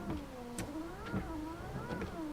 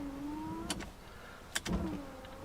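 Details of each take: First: Windscreen wipers on normal speed with the ignition on, after a WD-40 attempt: the motor whirs up and down once a second, even; the wipers run but don't self-park, and the body control module is suspected. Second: Ignition on, wipers switched to wash after WD-40 treatment: a whirring motor sweeps back and forth about every two and a half seconds with a sharp thump at each reversal. The wipers still do not self-park, so nothing has changed; the body control module behind the glovebox is next.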